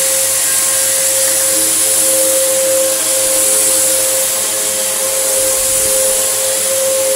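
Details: Samsung SU3364 upright 1800 watt vacuum: steady motor roar with sharp whistling tone throughout; airway completely clogged, causing pressure to escape elsewhere as an apparent air leak.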